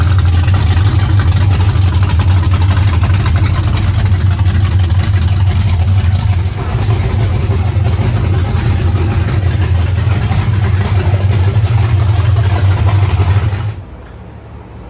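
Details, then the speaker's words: 1935 Chevrolet coupe with blown big-block V8, first start after carbs synchronized, timing set roughly to fire and fuel system pre-bled; fires quickly into a deep, steady, even idle, no misses or knocks, until shut off: normal start and idle. "steve had synchronized the carbs ready to go he set the timing up pretty much to fire we pre-bled the fuel system so there we go"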